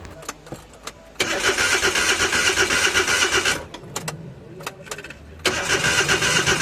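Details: Suzuki DA64V with K6A engine: starter whirs steadily in two long bursts but the engine never catches or fires; cranks but won't start.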